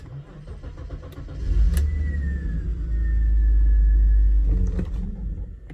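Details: BMW E46 325i convertible, M54 B25 engine, sat two years with a running issue: idle swells into two drawn-out rev rises and falls with no steady rhythm, revving unasked; throttle position reading suspect, cause not confirmed.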